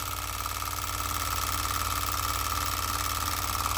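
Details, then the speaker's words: OKMO R02 Denny Improved Ericsson hot-air (Stirling) engine, gas burner turned down once hot, water pumping; light, regular chuffing about three to four per second with faint steady hum: running smoothly. "Now that's hot, that should start to slow down, and we'll have a good run. Water's pumping."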